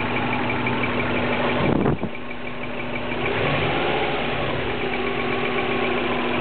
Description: 03 Subaru Legacy, 04 wrx engine swap, squeaking noise only happens once car is fully warmed up...